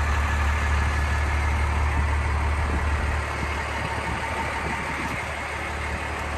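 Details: 1993 Dodge Ram W-350 4x4, 12-valve 5.9 Cummins intercooled diesel, automatic four-speed, 51,414 original miles, fully serviced, just started: steady even low clatter, smooth and regular, no knocks or misses; healthy Cummins idle.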